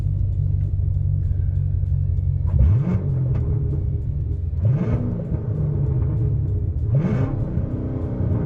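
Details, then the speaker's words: Corvette C7 Stingray after its damaged, hacked factory exhaust was replaced with a bolt-on Armytrix exhaust. A deep, even V8 idle rumble with three sharp throttle blips that rise and fall cleanly gives a healthy, finely tuned exhaust note. "since it comes through a finely tuned Muffler it sounds good no matter what mod you're in"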